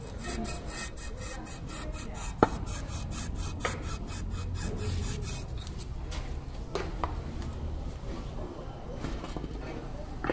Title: Control arm bushing creaking noise.